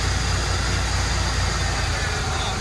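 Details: Old Ford petrol engine revived with fresh gas after sitting, cold start with oil pressure: steady, even low rumble with no knocks or misses before it cuts off; idling fine.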